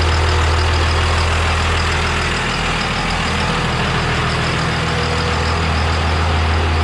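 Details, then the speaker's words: Triple-turbo 12-valve diesel race truck just fitted with a 13mm P7100 injection pump and a drilled cam for the walking cam gear, first fire-up: a deep, steady, even idle with no knocks or ticks; sounds healthy, only needs water. "All right, so there it is. She fired up. I gotta add a little water to it. She sounds good. Nothing sounds bad, so I'm pretty happy."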